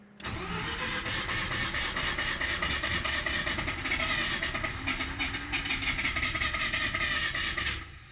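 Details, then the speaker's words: Mazda RX7 rotary, after misfiring on one rotor and dying: about eight seconds of steady cranking, roughly three beats a second, never catches; believed flooded, deflooding procedure then run. "Okay, well, since it cranked and wouldn't start, it was pretty obvious that it got flooded."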